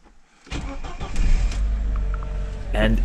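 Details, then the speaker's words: Audi bought abandoned, first start after six to seven months of storage, fully charged battery: short crank catches at once and settles into a steady, even idle with no misses or knocks; normal cold start and idle. "starts easily I mean I have a good fully charged battery but still engine sounds good starts without problems this car wants the second chance for sure"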